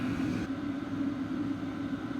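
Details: Vevor 8 kW diesel heater (2025 model) running outdoors at full output: an even low hum with steady fan rush and no pulsing. It measured about 62–63 dB from 6 ft, front and rear, against a 40s dB background.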